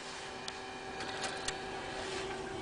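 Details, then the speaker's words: 2010 Chevrolet Traverse GM navigation screen opening after pressing the map disc eject button: quiet steady motor whir with a few small clicks as the screen moves out smoothly; normal operation. "if I press the Jack map but disc the whole this thing is going to pull out again which will allow me to be able to pull the disc"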